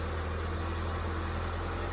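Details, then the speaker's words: Engine of a cheap salvage project car at idle right after a cambelt change: low, steady drone with an even hum, no knocking or rattles, and it didn't go bang. "Didn't go bang. That sounded... Job's a good one."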